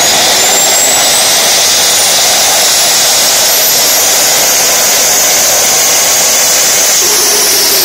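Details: Tiernay turbine run again after sitting two years, following repair of a high-pressure fuel line. Smooth high-pitched whoosh holds steady at speed, even unbroken roar, no surging or popping: normal running.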